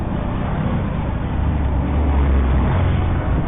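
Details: RKS Evo motorcycle with a noisy engine: deep, uneven clatter of about four knocks a second riding on the idle, traced to a faulty starter bendix drive.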